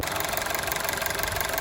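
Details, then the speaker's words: Honda City on CNG after fixing two faulty ignition coils and cleaning injectors: short run of steady, even idle with no stumble or shake, no leakage on test; smooth idle after repair. "โอเคตอนนี้ไม่มีรั่วแล้วนะครับไม่มีสนก็แสดงว่าไม่รั่วเสียงแวนิ่มแล้วนะครับ"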